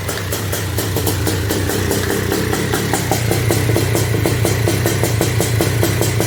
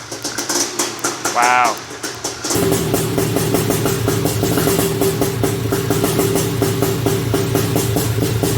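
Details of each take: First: Honda TRX250R two-stroke on 38:1 premix, first-ever start after switching from HPI to OEM ignition at zero-degree timing: busy, uneven idle burble with ticking over a low drone; running rich, needs jetting. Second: Honda TRX250R two-stroke, first start after switching from HPI to OEM ignition at zero-degree timing, 38:1 premix: a few kicks, then catches and runs with quick crisp even crackle; starts and runs fine.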